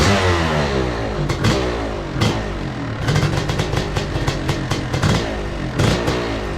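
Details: 2002 Yamaha YZ125 two-stroke kicked over and revved: uneven, clattery, stumbling beat, runs rough though it fires right up; owner suspects it needs a top end, possibly jetting, not confirmed.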